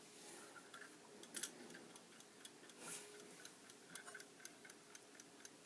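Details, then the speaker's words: Plato flip clock, original wind-up, produced about 1904–1906 by Ansonia Clock Company, freshly wound: crisp, even ticks at a steady beat with no skips; movement running healthily. "can hear the clock of ticking"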